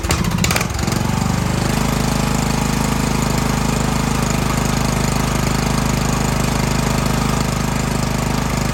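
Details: 2014 Snapper ST 1842 riding mower after repairs, valve cover leak fixed: brief cranking, then catches into even steady chug with no stumbles or smoke; running fine.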